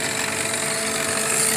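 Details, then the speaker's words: Citation Ultra cockpit preflight rotary test, stick shaker position: AOA gauge cycled to 1.0, steady fixed-tone buzzing rattle of yoke stick shaker over cockpit hiss; stall warning shaker works normally. "But when we move it to the stick shaker position here, what we're going to do is see the angle of attack gauge will cycle, and we will also see and hear the stick shaker on the yoke reacting. Cycled all the way up to a 1.0 AOA, and we can see the yoke is shaking."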